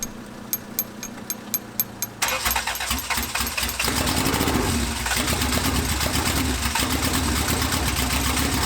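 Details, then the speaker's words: 1993 Honda Civic EG with fully built LS VTEC engine on open header, first start, old stock injectors, plug gap 0.035: a few sharp ticks, then it catches and runs loud and steady with no misses or knocks; normal running. "It was sounding good. I wanted to hear it. It did sound good, but I have to check things now."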